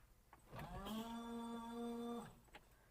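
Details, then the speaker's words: 1992 Subaru Brumby, washer reservoir reinstalled in the engine bay after its leak was fixed: a clean, steady electric whine spins up, holds an even pitch under two seconds, then stops; normal washer pump operation, fluid sprays, no leaks. "look at that. Perfect. Never been more excited to see windscreen wash in my life."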